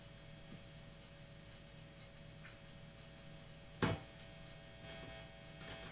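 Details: Guitar with its Bob button reinstalled still hums; the hum goes away with the Bob button on, and the owner suspects the button or its chip. A faint, steady low mains hum with a buzzy edge; cause unresolved.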